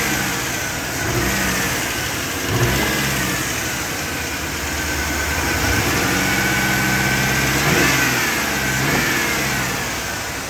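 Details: Chevrolet 5.3 V8 with a bad injector: uneven, stumbling, loping idle with occasional blips under light revs, a rough runner consistent with a dead cylinder.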